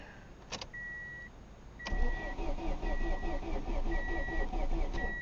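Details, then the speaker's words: Ford Escort ZX2 Zetec four-cylinder, first start attempt since purchase on a low, partly charged battery: chime then sluggish cranking about four beats a second, no firing and no fuel pump heard. "so it cranks over albeit slowly and uh but it doesn't try to start and I can't hear the fuel pump engaging"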